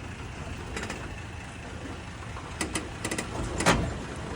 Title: Tacoma creaking/ popping noise